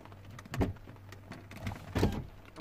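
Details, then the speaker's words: 2008 Porsche Boxster S (987), driver door: a low motor whir inside the door in short bursts with sharp clunks, but the glass does not move, a failed window regulator. "so yeah there's something wrong with this elevator so obviously the window doesn't work even though there is something working inside the door"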